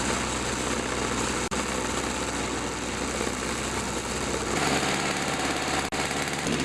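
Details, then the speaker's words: Toro two-cycle snowthrower after carburetor diaphragm replacement and repeated carb rebuilds, test run: small two-stroke holding a steady high buzz with a brief pickup, running evenly without dying or surging; healthy. "I had to rip the carburetor apart numerous times but I finally got it so I've got it all back together and I'm going to give it a test run"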